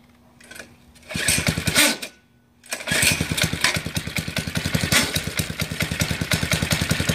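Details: Baja bike, first start attempt after purchase, motor visibly rusted: pull-start catches briefly, then stumbles into rough uneven firing that won't settle; hard starting, cause unconfirmed.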